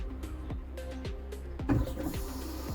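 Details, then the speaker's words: BMW E46 with M54 engine, crank-no-start: fuel pump run directly from a 12 V spare battery gives a steady low electric hum with light ticking twice a second; pump works, fault suspected in fuse or wiring. "As you can hear, the pump is humming, so we don't have a pump issue."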